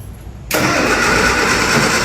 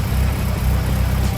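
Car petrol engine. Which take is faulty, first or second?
first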